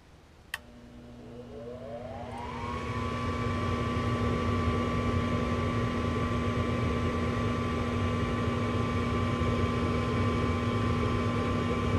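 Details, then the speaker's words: Lennox Merit Series G40 gas furnace, normal startup during igniter replacement: a click, then the exhaust (draft) fan whine rises in pitch over about two seconds and settles to a steady hum as the thermostat calls for heat. "so thermostat get going hopefully when it kicks on we hear the exhaust fan come on that igniter over there as well"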